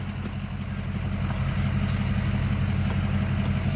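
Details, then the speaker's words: 2005 blue truck, temperature slightly up, compared with a misfiring flatbed: steady even low rumble at idle with no skips or misses; normal idle. "now compare that flatbed to the o5 blue one it runs awesome and the temperature's still up a little on that one but you don't even hear a lick and miss on this one"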